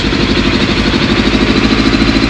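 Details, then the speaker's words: Suzuki Bandit 600 four-cylinder after carburetor rebuild with 98 jets, carbs not fully connected: uneven, lumpy idle with slight stumble in exhaust pulses; rough idle, owner thinks carbs need balancing. "still sounds a bit misf fary but not as bad as what it did I think now we just need to balance the cars"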